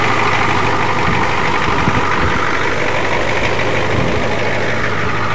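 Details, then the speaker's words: Ford F250 diesel truck after being pull-started, no more smoke, in two-wheel drive: steady, even low diesel clatter holding a constant idle with no misses or knocks; normal healthy diesel idle. "First time even though he's used to drive and he's used to driving forwards and it's running actually beautiful."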